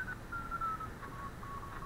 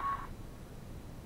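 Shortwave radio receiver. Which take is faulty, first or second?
second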